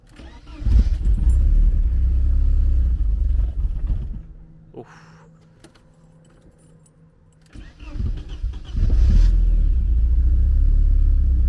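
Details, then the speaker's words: Porsche 924, sat for some time, fuel pump cutting in and out: starter churns about four beats a second, engine tries but never fires; owner suspects not enough fuel. "oh it's trying seems like it's not getting enough fuel somehow"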